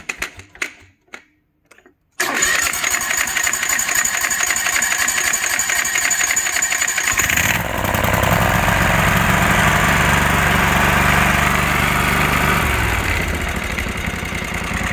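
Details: Kawasaki FH601V 19 hp engine on a 1700-hour Scag Tiger Cub, after teardown and governor linkage repair: catches after a few cranks, settles evenly, revs up and holds steady without surging; governor no longer runs away past 3600 rpm.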